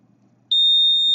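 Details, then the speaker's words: Rain alarm built with a transistor and resistor salvaged from a discarded CFL: silence, then a steady high-pitched buzzer at full level once a raindrop on the sensor completes the circuit, which turns on the NPN transistor; working as intended. "you will hear the buzzer sounding. So this is a rain alarm."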